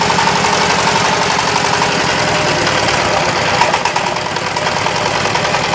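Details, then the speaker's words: Yamaoke ZS1100 16 hp (16.5 hp max, rated 2200 rpm) direct-injection single-cylinder marine diesel on test: steady, even clatter holding its pace with no misses or odd knocks; normal running. "Động cơ diesel hàng hải, vâng, đây là loại 16 pk. Loại zs 1100 này đang được thử nghiệm."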